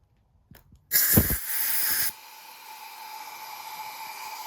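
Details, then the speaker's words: Promaxx cylinder head on engine, compressed air fed into a cylinder to hold valves during spring swap, engine turned by hand; loud rush of air escaping past the exhaust valve then a faint hiss, several cylinders alike, head going to machine shop. Leaking exhaust valve. "There is a lot of air coming out of this exhaust valve. coming out of the intake. That should not be happening."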